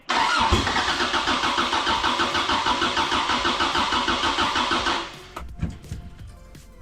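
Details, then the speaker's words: Corona race car with swapped Toyota 3S engine, first start attempts: starter turns it over steadily about three beats a second but never catches; dash lights come up while cranking, battery flat and being flogged. "All the lights are coming up when you crank it. Okay. We're low on. We're flogging the dead battery here."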